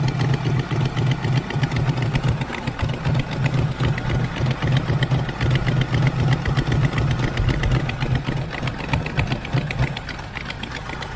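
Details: 1980 Camaro Z28 junkyard find with bad exhaust leaks. Rough, lumpy idle with a fast tick of about four per second riding on the exhaust note; ticking at idle, likely an exhaust leak.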